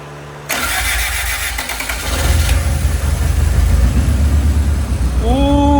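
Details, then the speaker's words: Honda Civic EG hatchback after an engine swap, first start in years, no exhaust fitted: brief cranking, then it catches within two seconds into a loud, steady idle. Starts and runs smoothly; an O2 sensor check engine light is on. "that sounds smooth, bro."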